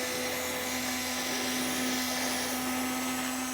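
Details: Bus conversion RV being winterized with compressed air: after faucets and fittings are opened, a loud steady rush of air over a constant hum with no spitting or gurgling, the water lines blowing clear at the final check.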